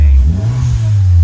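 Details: Perodua Alza after installing AVS fuel and ignition controller, airflow and extra-fuel settings adjusted: low, even engine note rising smoothly on a throttle blip without stumbles or misses; engine revs cleanly.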